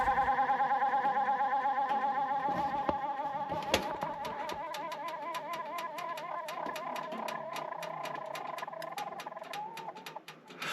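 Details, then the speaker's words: Running furnace blower on a poorly installed, roughly 850 CFM HVAC unit during an emergency no-heat call: worn blower motor bearings give a warbling, chirpy squeal, then steady ticking about three times a second. "I don't know if you hear that the bearing definitely are making some sort of noise okay the worst most concerning noises in the world but they are noises nonetheless"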